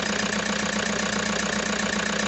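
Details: Toyota HiAce diesel at idle with a rapid, evenly spaced internal knock about seven per second, plus vibration and excessive white smoke; a mechanic recommended an engine overhaul.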